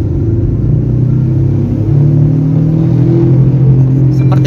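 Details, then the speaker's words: Suzuki Ertiga: steady low droning rumble in the cabin at 20–60 km/h, louder above 40 km/h and louder than the engine, persisting with the engine off; suspected left wheel bearing. "dari bearing roda sebelah kiri nih nanti kita cek Saya rasa ini bearing roda"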